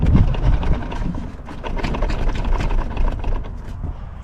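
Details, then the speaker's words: VW Polo engine idling and revving with worn engine mount, bolt moving in its hole, before replacement: uneven heavy thumps and clunks around four per second as the engine rocks; worn engine mount. "So we're going to sort that because well, it's not right fun when it's like that, and you can hear it banging about, and every time I turn it off or on and put my foot down, it clangs about everywhere."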